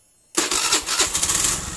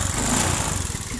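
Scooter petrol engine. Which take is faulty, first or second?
second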